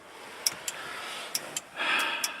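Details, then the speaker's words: Datsun 240Z with RB25 swap, key out, 30 A main power fuse in. Sharp relay clicks in pairs about every second as voltage cycles between about 2–3 and 11–12 volts: the ignition relay cycles on and off from an electrical fault. "well this isn't working ignition relay going over and over and over"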